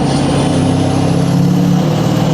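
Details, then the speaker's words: Ford 6.7L Powerstroke diesel with new 64mm Stage 2 turbo, accelerating: deep steady diesel pull with faint rising whistle; turbo spooling cleanly and more responsive, healthy. "Holy shit, it's so much more responsive too."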